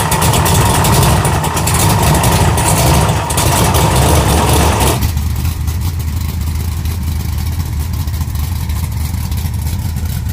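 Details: 1956 Chevy V8 with temporary cooling fan setup: deep full exhaust rumble through a few revs, then even loping idle with no ticks or knocks; healthy.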